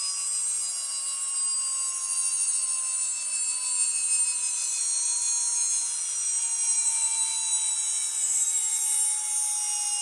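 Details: Atlas launcher gyro rotor on spin test, fed 115 V AC across terminals A and B via a 270 nF capacitor: a piercing, steady high whine with several shrill tones drifting slightly lower, very noisy at full speed.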